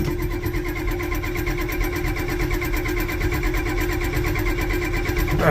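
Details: 7.3 IDI diesel, cold start attempt with the glow plugs not working; steady, even starter cranking goes on and on without the engine catching. Cranks but won't start; cause suspected, not confirmed.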